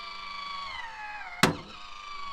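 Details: MaxxAir roof vent fan lowering: small motor whine sags under strain, then a sharp crack as the failed lid lowering mechanism jams; loose metal pieces found inside; fan also came loose over bumps while driving; mechanism to be replaced.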